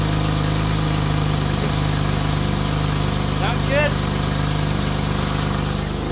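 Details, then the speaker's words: Acura TL J-series V6 first start after piston replacement: steady, even idle with a smooth low drone and no knock or tick; smoke from burning off oil is expected, though a slight misfire is noted. Normal idle after rebuild. "all right so now you guys are going to see smoke coming out which is completely normal what it's going to do is basically burn out all the oil that's like you know sitting from earlier but listening to everything it sounds normal"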